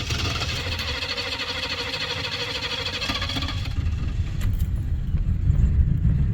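The engine turns over with a steady low churning but never catches and runs; it cranks without starting.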